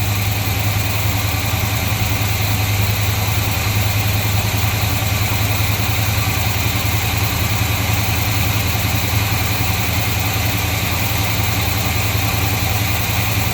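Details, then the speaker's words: 1953 Chevy truck with worn timing chain cover, after fixing a leaking hose and backing off the ignition timing: smooth regular low rumble at a slightly brisk idle with no stumble. Running much better, fast idle stuck on because the choke is unhooked. "let me tighten that down a little bit more yes sir I already tail is running much much much better"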